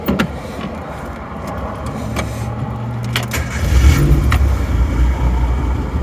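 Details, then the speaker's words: Suzuki Samurai cold start after a non-smog carburetor was swapped back to the stock carb and vacuum hoses reconnected. Brief crank, then it fires right up into a steady, slightly fast choke idle: a normal, healthy cold start. "fire's right up see she is cold so you can hear that choke working [Music] running just fine"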